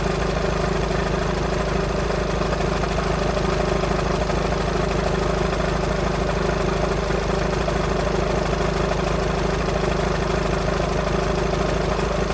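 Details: VW Sharan 7N 2.0 TDI common rail diesel (CFFB), cold start after new timing belt, injectors refitted and fuel lines drained without bleeding; fast even clattery rattle about three per second at idle; owner suspects tensioner pulley, unconfirmed.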